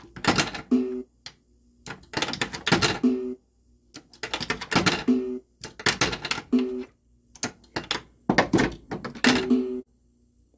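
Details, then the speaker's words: South Park pinball in switch test after jumpering the old Subway switch to the new one: bursts of mechanical clatter, each with a pair of low chime dongs; the switch is registering correctly. "should dong twice see did you see that yeah two dongs two dongs don't make a right just so you know"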